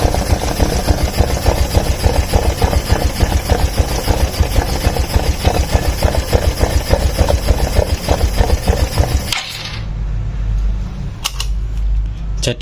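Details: Small single-cylinder motorcycle engine just reassembled after teardown, combustion chamber cleaning and part replacement, with oil reaching the camshaft: steady, slightly busy tick-tock idle before cutting off; sound noted as slightly different at first while running in; normal idle.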